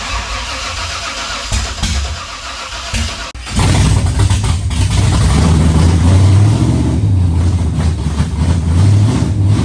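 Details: 1967 Camaro with freshly installed 454 big-block, first start with primed carburetor and fuel pump apparently not working: catches after a few cranks, runs loud and uneven with lumpy beat and surging revs, struggling to stay running; likely fuel starvation.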